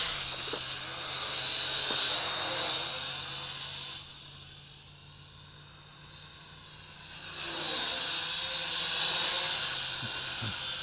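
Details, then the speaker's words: HJ818 Pathfinder hexacopter with an upgraded higher-C-rated battery replacing the insufficient stock one: high steady propeller whine fading as it climbs then swelling back strong and even during a quick climb test; six motors pulling healthy full power. "Just testing by doing a quick climb. This battery's much better for it. Now you can fly aggressive with this thing."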